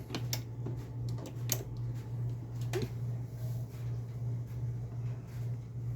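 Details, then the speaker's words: Thorens TD124 II turntable after mechanical service, idler wheel checked: low, steady, even hum with only light handling clicks and no rumble or scraping; drive running smooth and quiet. "So that's working real nice. I'm listening closely, and it's quiet. I'm sure I can hear something. Maybe you can't, but everything is working smooth."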